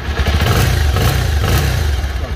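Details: Pulsar 220cc single-cylinder bike with 13,017 on the odometer, after repair of a hammer-like rumbling engine noise. It blips up and settles back cleanly with an even, deep exhaust beat and no rumble left. Normal rev.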